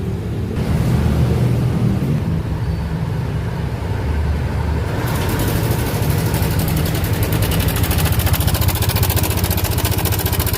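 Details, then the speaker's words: Yamaha NMAX 155 scooter idling, still noisy after an oil change: fast, uneven metallic clatter over the engine hum, suspected at the cam chain tensioner. "oke dan sudah ganti oli tetap berisik Oke kita buka jok saja di bagian ini nih kita bongkar semua Oke kita cek bagian sana tuh di bagian tonjokan keteng biasanya erornnya di situ"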